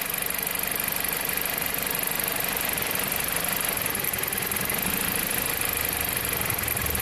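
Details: 2007 Jeep Compass four-cylinder with an intermittent cylinder 1 misfire (P0301, P2302 coil 1 ionization current); rough idle stumbling about three times a second, recreated by wiggling the coil harness; a broken wire in the harness is suspected.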